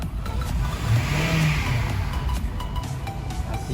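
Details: 2000 Honda CR-V with VSA, brake and check engine lights, codes cleared, revving: climbs and falls smoothly, no stumble or miss; misfire suspected from VTEC solenoid, unconfirmed.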